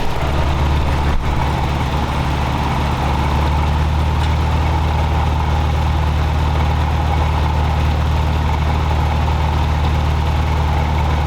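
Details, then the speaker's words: Toyota 4Runner 22RE four-cylinder, warm, idling very high at around 1,500–1,700 rpm (dash tach not working), with distributor timing rotated to lower it: a steady, fast, even low hum that never settles. Cause found to be air leaking past a worn throttle blade. "but it it idles very very high for a while we had rotated the distributor to the timing a little bit so that we could bring the idle down just so that we weren't sitting there revving the crap out of it"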